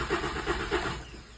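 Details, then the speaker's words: 2006 Volkswagen Jetta cranks at a steady rhythm with even compression pulses but never catches; no spark, no fuel, check engine light off, OBD won't connect; fuses, power and grounds checked, ECU believed good. Crank, no start. "It'll turn over and everything, but it just won't start."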